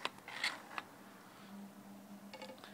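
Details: Used 1990s Canon 80-200mm lens; quiet dry scraping with faint squeaks and clicks as zoom ring is turned, noise changes when pointed up or down, seller says it always did this.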